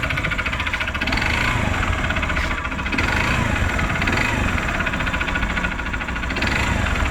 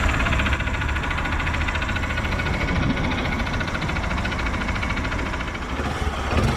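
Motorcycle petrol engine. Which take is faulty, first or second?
first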